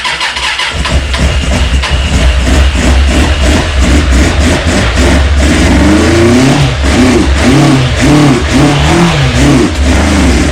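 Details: 2004 Suzuki Katana, sitting over a year, first run on a temporary fuel tank: engine catches, blips through a few revs, settles into a steady idle; runs cleanly, later oil leak at oil cooler fitting.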